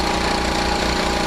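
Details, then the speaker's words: Generator running at 59–60 Hz with air conditioners loaded: hard, fast chugging with a faint uneven rumble, rough running though exhaust feels steady; governor screw adjustment suspected. "okay so you can hear that boop i don't feel it in the exhaust like a lot of times when a car is skipping you can feel it on the exhaust so i'm getting a steady exhaust out of that"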